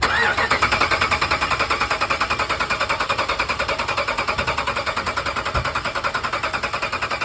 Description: Diagnosing a cylinder 2 misfire on a 2014 Ram 1500 that led to a destroyed camshaft and lifter.